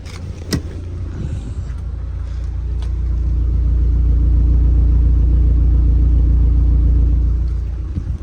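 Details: Mk1 Audi TT, after immobiliser work now starting on its own: deep smooth rumble climbs steadily, holds evenly and settles back with no misses or knocks; normal revving, engine management and airbag lights still on.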